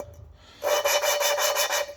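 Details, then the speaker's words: Mopar 361B V8 reassembly, lapping valves into four-barrel cylinder heads with compound and a suction-cup tool: a quick gritty back-and-forth rasp, about five or six strokes a second, quieting as the grit works out. "You can hear that grind. That's what we want. And as it goes on, you'll hear it starting to get quieter as it works that grit out of there."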